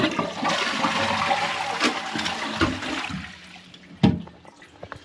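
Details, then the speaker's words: Toilet cistern test flush after replacing broken internals with a Thomas Dudley fill valve and syphon, overflow set above the water line: strong flush rush, then quiet even refill settling cleanly; normal flush and refill. "Sorted. Job done. And there you go. Returning back up."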